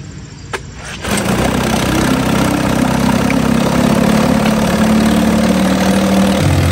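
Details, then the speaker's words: 1950 Johnson HD 25 2.5 hp two-stroke outboard, run in a water bucket after carburetor adjustment: catches, then an uneven hunting beat and sag, won't idle at the very lowest; owner suspects the points need cleaning. Rough low idle. "Well, I got the carburetor adjusted the best I can on this motor. I think some other day I'll have to clean the points because it doesn't want to idle the very lowest. But other than that, it's a pretty good runner."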